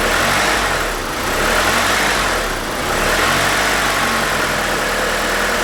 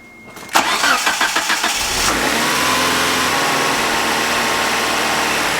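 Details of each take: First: 1992 Mitsubishi Galant VR-4 while screwing in the idle bypass air screw with plugs grounded, surge being fixed; steady even idle with a faint hiss, no hunting or surge, a touch high, normal idle. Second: 1992 Mitsubishi Galant VR-4, warm, restarted with two plugs grounded, before bypass air screw adjustment; cranks and catches, then idle slowly rises and falls, hunting rather than holding steady, idle surge.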